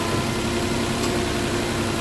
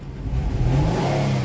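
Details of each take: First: Nissan Maxima V6 at first startup after repair of a no-code misfire: steady, even idle with faint hum, no stumble; running excellent, misfire fixed; AC click heard, a hose clamp needs tightening. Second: 2009 Nissan Maxima 3.5 V6 with no codes: a snap throttle at low rpm makes it stumble and misfire, then it clears up when revved to around 3,000 rpm; an arcing ignition condition is suspected.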